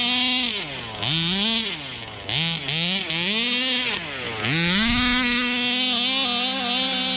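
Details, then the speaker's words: 1/5-scale Rovan Baja 5B RC two-stroke, revived after neglect: high buzzing engine blipped in quick bursts, then a steady fast run pulling cleanly; runs and idles well, healthy. "A little more traction on tires, but this thing running good. Sounds good. The idle, perfect."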